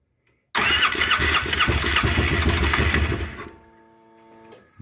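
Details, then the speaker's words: 2009 Polaris Sportsman 800 that sat for months and arrived not running with a dead fuel pump and likely old gas in the injectors: key start catches roughly, stumbling for about three seconds, then dies. Cause suspected, not confirmed. "i turned the key in it and it stumbled a little bit tried to start and then kind of kicked on a little bit"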